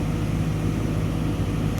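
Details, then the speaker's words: Excavator diesel at 10,000 hour meter in service check, working modes: A up to 1600 rpm, H 1700 rpm, SP 1800 rpm; steady, even high-speed drone, no knocks or misses. Normal engine run at work RPM. "Ya. Sampai 1600. Posisi H RPM masih sampai 1700. Posisi SP sampai 1800 ya."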